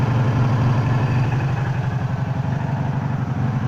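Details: 1984 Honda Magna V30 V4 at idle: low steady buzz pulsing about four times a second under the exhaust, from the clutch/crankcase area, source unknown; rest of the engine runs smooth.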